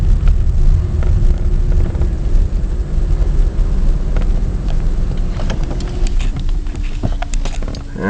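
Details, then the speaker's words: 1994 Chevy Lumina Euro 3.1 V6: rough, lumpy idle surging and sagging, stalls, no check engine light; shop found IAC, sensors, vacuum fine and suggested possibly the ECU; owner suspects electrical issue, clogged catalytic converter or fuel pump. "just stalled it's very jumpy so anybody knows what it could be that would be great"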